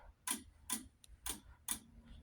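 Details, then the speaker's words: Wheelock DSM-12/24 strobe sync module during a fire alarm system test: sharp, regular relay clicks about twice a second in a quiet room, the relay clicking normally during alarm. "Um, you can feel the click all the way up here. It's powerful relay, of course."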